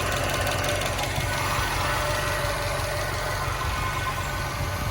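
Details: 2013 Subaru WRX at idle, noise present a while and getting louder; light, fairly quick tick about four per second; owner unsure if injectors, normal Subaru noise or rod knock; engine ticking at idle.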